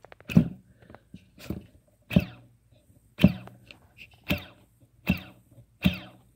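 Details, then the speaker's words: DYS Samguk WEI 2600kv quadcopter motors, about 50 packs and crashes, hand-spun: short whirs with a dry, gritty rattle overtone and squeaking from worn bearings, versus a freshly rebearinged motor with no rattle. "I just want to give you an idea of what dysm look way or way or however you'd say it Motors sound like when they have bad bearings so if you take them and you spin them let's listen it's almost like a rattle overtone to it"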